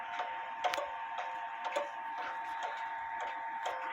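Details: Clock on leveled stand, crutch bent left; light ticks roughly every half second with uneven tick-tock spacing, still out of beat.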